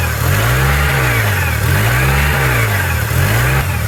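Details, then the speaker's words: 2003 Honda with P0507 (idle air control higher than expected) and overheating history, with many disconnected, loose parts found; engine speed swells and sags in slow waves about every second, hunting idle, cause undetermined. "I found a bunch of stuff that was disconnected. There's the idle going up. Lots of stuff just loose, hanging around."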